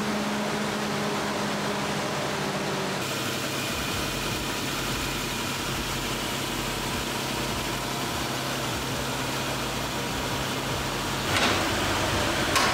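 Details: Nissan Pathfinder after radiator replacement and coolant refill, with the clutch fan removed for e-fans: first test run to circulate coolant. Even, low idle hum at steady speed with no ticking, squeal or stumble. Normal idle.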